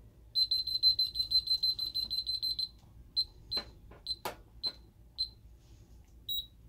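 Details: Ademco 6137R alarm keypad showing check zones 108, 112 and 94 (telco fault, 4204 relay, 4204 CEF): quick string of shrill high beeps, then slower single chirps about a second apart, sounding trouble for faulted zones.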